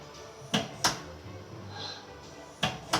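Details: Used DMG Mori Seiki NLX2000 combined lathe during a warm-up motion test: two pairs of crisp clunks about two seconds apart over a quiet hum as the turret indexes the tool post. Normal turret indexing, machine in good condition.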